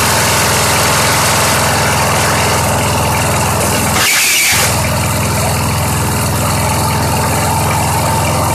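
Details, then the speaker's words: Craftsman 917.38813 push mower, on 90-octane pure gas: even, fast single-cylinder putter about three beats per second, holding steady; idles cleanly on its own, normal. "Hey, that thing just runs. What do you know? I mean, it's running on its own."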